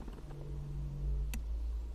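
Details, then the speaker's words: Audi TT Mk1 Cabriolet, roof down, wind deflector button pressed: two crisp relay clicks (relay 604 under dash) and roof creaking, no motor whir; switch and relay work but the wind deflector is dead, motor suspected. "so we lift it I hit absolutely nothing that's just the roof kind of creaking okay so it's dead"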